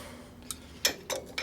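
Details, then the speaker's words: 1958 Ford F100 pickup, wheel hub spinning freely after loosening over-tight brake shoes: sharp, slightly uneven clicks about three a second from inside the hub, cause unknown; the bearings appear freshly replaced. "somebody didn't adjust these correctly and I don't know what that clicking noise is in there but I don't like the sound of that when you hear noises it's not good"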